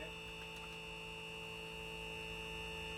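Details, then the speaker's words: Sealine sports cruiser boat trim hydraulic pump, being bled of air with reservoir about halfway: steady electric whine with constant pitch, no sputter or air gurgle, sounding better and getting faster; normal hydraulic pump run. "Now go back the other way, mate. See how much better it sounds already?"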